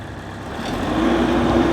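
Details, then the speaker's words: Normal running of a 20 kW PTO generator on an all-electric pressure-washing truck, heard after start: engine note climbs smoothly from idle to steady running speed, clean tone, no hunting; said to be about half as loud as one pressure-washer gas engine. "That's as loud as it gets. The gas engines on a pressure washer are twice as loud as this right here."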